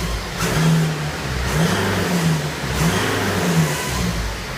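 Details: 2013 BMW 320d F31 diesel revving repeatedly: odd low droning tone rising and falling under the engine note, unidentified strange noise.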